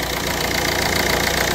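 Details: Ford Fiesta 1.4 diesel after full service with new filters and coolant: steady, even diesel clatter at idle with no misses, knocks or surges; normal healthy idle.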